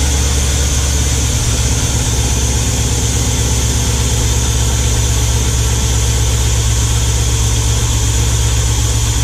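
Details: Square body Chevy Suburban V8 first start after Edelbrock Pro-Flo 4 EFI install, idle air not yet adjusted: low, unsteady, lumpy rumbling idle; rough idle just after starting. Cause not confirmed.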